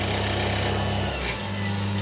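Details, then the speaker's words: Sherline 5000 mill with a newly made cast pulley and a wrong-size drive belt that is too loose, run above 3000 rpm (top 4170 rpm): high-speed motor hum with a rough fluttering slap from the loose drive belt flapping. "that noise is the belt flapping around but uh on over cheating my aim that's the important point"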